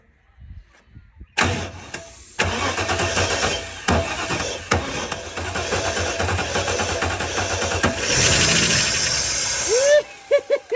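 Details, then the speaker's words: Holden VN SS Commodore V8, a long-parked paddock find, cranked on a jerry-rigged starter and ignition with starting fluid sprayed in; the fuel is probably stale. It catches and runs ragged and uneven for several seconds before dying. Fuel supply fault suspected, not confirmed. "Oh man. Sounding like a schoolgirl when the thing first fires up. It's always the best feeling. It didn't sound the greatest, but it's a good feeling."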